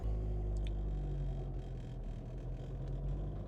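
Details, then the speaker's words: Warm car on Airlift Performance air suspension with pillowball bearings, previously noisy after install: rolls off slowly with a steady low rumble and no squeaks or squeals; owner suspects a break-in period resolved it. "so as I drive out of here I want you to notice there's no squeaks or squals there's none of that like it is now silent on the bushing side of uh the suspension"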